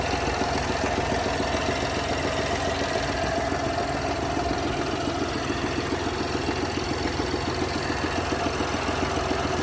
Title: Abnormal sound This is a 2021 BMW X1 HYBRID F48 B38 ENGINE 50Km. What's the problem??